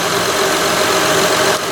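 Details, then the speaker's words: 2006 Honda Odyssey EX-L V6 idling after a valve adjustment and reassembly: smooth, even idle with a steady hum, no knocks, misses or ticks; running clean. "so you can see it's running fairly smooth"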